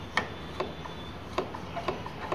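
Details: Ola S1 Pro electric scooter at full reverse throttle after a service-center repair: sharp, slightly uneven clicking about three to four times a second; forward throttle also makes some noise.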